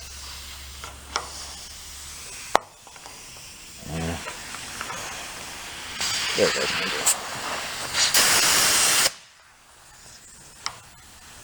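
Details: Go-kart from a closed amusement park, sitting for years: sharp steady hiss of escaping air while inflating the thick tire, mixed with handling clunks; tire leaking air.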